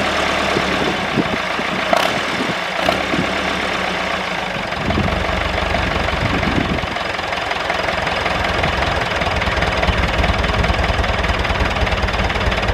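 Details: David Brown 996 diesel tractor, left sitting about 10 years in undergrowth, just started: steady, even clatter ticking over with no misses or stumbles; normal idle.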